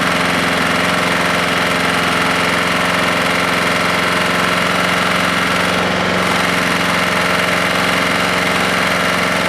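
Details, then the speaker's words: Husqvarna lawnmower engine with low compression, suspected bent push rod or valve not closing, later suspected bad rod, quit on its own; runs fast with uneven ragged beat about three to four pulses a second, rough running, cause unconfirmed. "yep i just quit on its own i could hear it breaking up something's not right here"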